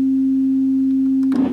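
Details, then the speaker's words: Orange CR120 solid-state guitar amp with intermittent sound: clean steady test tone turns scratchy and crackling when the inter-board connector is touched, pointing to a loose inter-board connector. "we've got this inter board connector here they're always a problem these into did you hear that i just said there was a problem these and i touched this and here's the problem already"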